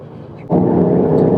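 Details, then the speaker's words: Truck on new Mickey Thompson EXP tires (between mud-terrain and all-terrain), noise starting at about 30 mph: tread hum comes in suddenly and holds a steady low drone, no howl or thumping, far quieter than the previous KM3s; normal tire road noise. "Just like the M3s, it does start at about 30 miles per hour, but I will say it's nowhere near as loud. The KM3s right at 30 was obnoxiously loud. This is not obnoxious."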